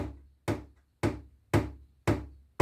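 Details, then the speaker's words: Bosch KGNN39A refrigerator, bought about 2018–2019, knocking since 2023: six sharp, hollow knocks about two a second, resonating in plastic parts; air damper suspected, not confirmed. "есть у вас в холодильнике заводится домовой который пытается оттуда выйти стучит Потом перестаёт В общем всё это дело хорошо так резонирует"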